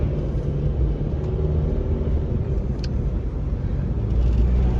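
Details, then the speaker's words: Dodge Avenger brought in for squealing brakes, road-tested after new discs were fitted: low road and engine rumble while braking, with no squeal or grinding. The previous squeal is gone. "ver un fren ver ya ya ya no hace el ruido que hacía antes el rechinido vamos a frenar bien"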